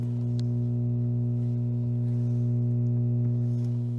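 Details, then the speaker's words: 1956 NordMende Fidelio 56 3D tube radio with all original tubes, power issue where audio fades after 10–15 minutes of play: programme sound drops out leaving steady low mains hum. "might sound a bit different just dropped right out there i don't know if you heard that"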